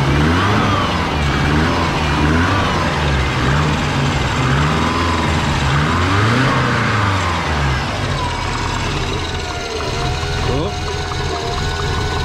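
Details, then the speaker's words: Twin-turbo Subaru with a TD05 turbo, revving: a low rhythmic puffing underneath, about three per second at idle, an exhaust leak chuffing from down low. "oh i think i've got an exhaust like definitely got an exhaust like you could hear it chuffing down down the bottom there"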